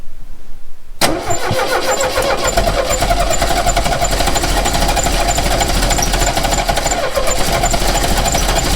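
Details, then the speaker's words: 1969 Renault 16 first start attempt in years on a rigged external fuel supply: the starter spins steadily with even compression pulses for about eight seconds, but the engine never fires. "So that didn't work. Shit."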